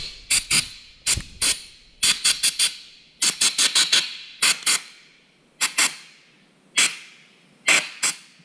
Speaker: For some reason my little air valve on my compressor keeps screwing up on me and sticking open. You can hear it start bleeding. I need to get a new one.